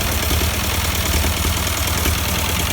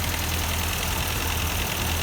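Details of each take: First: 1952 Ford 8N tractor that sat for years, running at idle: lumpy, uneven low chuffing with a skipping beat; one cylinder dead and missing, suspected bad plug or carburetor, later traced to a stuck-open exhaust valve. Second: Partially restored Ford 8N tractor, not run in years, after work on a stuck exhaust valve in cylinder four that had no compression: low, steady, even chugging with no skipping, and no bad gears or clicking in the transmission.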